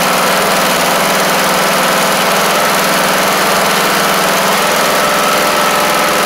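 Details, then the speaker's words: MTD Craftsman LT1500 riding mower just fitted with a replacement engine, first start: steady, even small-engine idle with no knocks, misses or surging; runs good, though the governor seems a tad fast and may need bending in. "oh might have to bend the governor in just a little bit because I think it's just a tad on the fast side but I tell you what runs good that's for sure"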